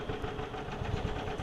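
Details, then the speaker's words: Yamaha golf cart engine warm, after a carburetor bowl and top jet flush and air-fuel screw adjustment, driving under load: steady low chugging with even firing pulses, picks up cleanly, no missing or popping; normal running under load. "you can hear it when i load it up too so it picks up right there so we're good"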